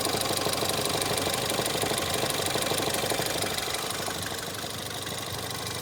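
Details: Ford Fiesta ST 180 EcoBoost, under warranty: steady idle with a regular deep knock about three per second, unchanged by the clutch; Ford blames the release bearing, owner suspects bearing damage, unconfirmed.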